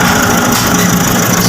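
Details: Nissan NV350 diesel during oil change and check-up, after the fuel filter was drained via its bottom plug: steady, even idle with smooth clatter and no stumbling or hunting, running healthy.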